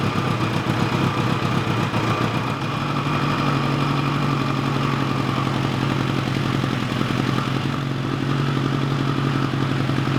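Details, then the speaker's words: 1986 GPZ1000RX four-cylinder bike restarted after cooling-system work, with the gasoline drip reconnected. It settles into a steady, smooth, even idle with no misses or knocks, no leaks and no smoke. A normal idle. "well that sounds fantastic and there's no leaks there's no leaks whatsoever and there's no smoking this time so that's also cool"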